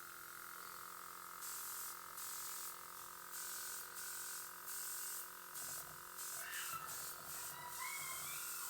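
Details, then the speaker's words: Quivena airbrush after cleaning with alcohol: steady soft hiss of air over a faint, even compressor hum with no sputter; the airbrush works again. "now we have a working gun again"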